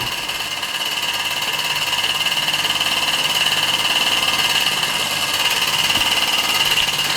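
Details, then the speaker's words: Restored 1946 Mamod SE1 model steam engine with disc crank flywheel: light, quick, even chuffing about three beats a second over a soft steady hiss, running smoothly and quietly. "lovely lovely little engine"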